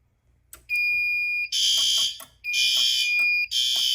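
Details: Fire alarm panel drill test with the CO point reprogrammed as control: steady high beep, then three piercing horn blasts about one per second; horns fire normally on drill while the CO strobes still activate.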